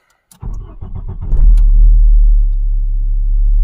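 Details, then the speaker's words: 1994 VW Golf 3 Variant after installing a rebuilt fuel pump, primed several times from the driver's seat: brief crank, then the engine catches within a second and settles into a smooth steady idle; pump works, normal start. "Okay. I mean, it started. The fuel pump is working, obviously, because the car is running."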